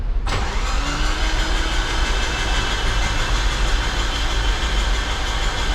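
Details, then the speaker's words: Rebuilt Nissan SR20DET in a 200SX, spark plugs and coil packs out, cranked on the starter to build oil pressure before first start: quick, even whirring crank with no compression pulses or firing. "All right. We're just gonna crank it over, build up some oil pressure."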